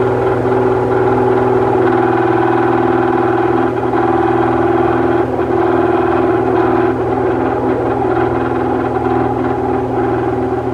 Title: broken bearing